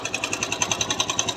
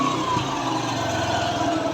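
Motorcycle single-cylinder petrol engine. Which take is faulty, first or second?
first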